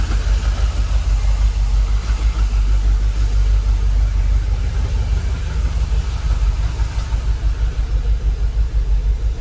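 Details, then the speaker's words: Jaguar XKR after about 10 years dormant, idling with fuel pressure gauge steady at 45 PSI, no leaks at the added valve, no warning lights; steady low idle with even gentle pulse, no ticks or knocks, starting to sound sweet; smooth idle. "Fuel gauge, pressure gauge, still the same. That's starting to sound sweet."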